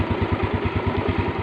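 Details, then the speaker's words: Motorcycle idling after a dead spark plug was revived by removing its ceramic as an emergency trick: even single-cylinder thump, about ten beats a second, steady with no misses; normal idle. "Dengeran, Mas Bro. Mesinnya udah hidup."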